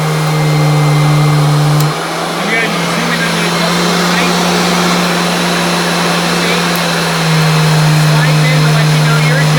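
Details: Mid-1990s Royal Classic Edition 4000 metal upright vacuum with large motor, switched on; loud steady low drone with constant high-pitched scream, easing slightly partway, motor running normally.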